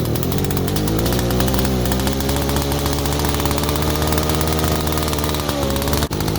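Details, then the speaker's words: 1947 Mall six-foot two-stroke chainsaw, barn-found and first run in 40 years: strong, steady buzzing note at an even pitch with no misfires or stumbles; runs and idles cleanly. "so yeah anyway so we got a running machine at idles now too so that's cool"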